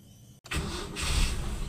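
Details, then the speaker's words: Toyota Kijang Super carbureted engine, carb and ignition normal, hard-starting complaint, morning start: short crank, then it catches almost at once and settles to a steady even idle; raised idle RPM helps quick starting, sparing the battery. "Nah ya, dari sini bisa kita simpulkan bahwa untuk ketinggian RPM mempengaruhi di awal starter ya."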